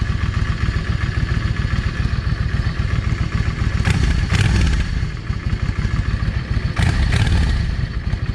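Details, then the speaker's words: Yamaha 650 V Star after the front carburetor's 22.5 jet was pulled (found not clogged). Lumpy idle with clean throttle blips and no pops on overrun; earlier backfiring is gone. "No backfiring, [Music] none whatsoever like it was doing earlier."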